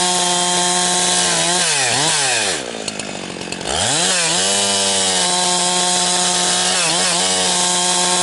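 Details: Husqvarna 362XP Special chainsaw with Walbro carb, cutting firewood. It is fine around 9,000 rpm when buried in big wood, but when limbing the revs climb, then stumble and burble at the top. It four-strokes because the wrong, rev-limiting ignition coil is fitted.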